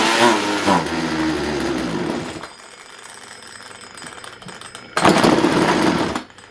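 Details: Craftsman 42cc chainsaw in a very cold unheated shop, air filter just pulled: fires in short revving bursts that die away between pulls, catching only briefly; sputtering, seems fuel starved.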